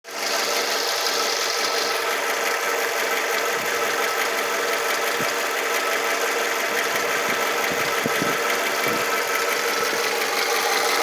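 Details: 2005 Toyota RAV4 warm idle after running for 10 minutes: a steady idle with a busy, hissy clatter on top that doesn't change. Moving the camera around didn't locate the source, and the cause is not confirmed. Abnormal engine noise when warm.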